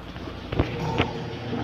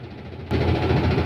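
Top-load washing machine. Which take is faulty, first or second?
first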